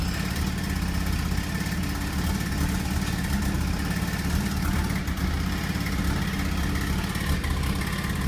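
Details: Mazda RX-7 FC3S rotary at idle: uneven, lumpy exhaust beat with irregular stumbles; rough idle with fuel cut, timing cut and limp mode, cause not evident.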